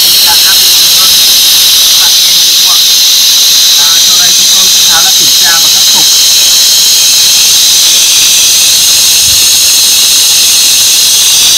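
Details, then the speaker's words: Kocu GZ-10 pneumatic grease pump (50:1, 0.6–0.8 MPa air) leaks air instead of pumping grease: a loud, steady hiss with no pumping rhythm. Pressure builds normally but no grease comes out, and the pump head is removed to find the cause. "đây chúng tôi sẽ kiểm tra máy bơm mỡ GZ10 đang bị tình trạng là xì hơi không ra mỡ. Áp vẫn lên bình thường nha các bạn, nhưng mà mỡ không có ra."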